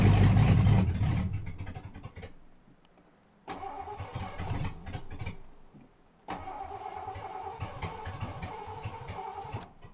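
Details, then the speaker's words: 1988 Ford Crown Victoria, first start after top-end rebuild with new head gaskets; timing not yet set, a plug wire found not fully seated; steady cranking with ragged catches that never settle; cranks but won't start. "So after resetting the time, here's trying to start my car. Okay. Oh, found a plug wire not down all the way. I don't think that would have necessarily stopped it, but let's try this again."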